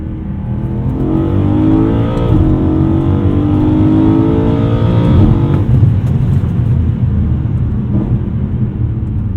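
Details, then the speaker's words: BMW E92 M3 V8 after rod bearing replacement, revved at full operating temperature. Clean rise and fall in pitch, smooth and knock-free; healthy bottom end, normal running. "As you can see, the car is alive and well after the rod bearing job, and I'm pretty happy that it's been done."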